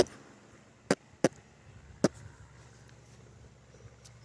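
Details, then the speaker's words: Airplane flying low overhead makes three sharp, separate pops about a second apart over a faint distant drone; engine popping or backfiring, cause unclear, onlookers suspect mechanical issues. "Guys, that airplane's making popping noises."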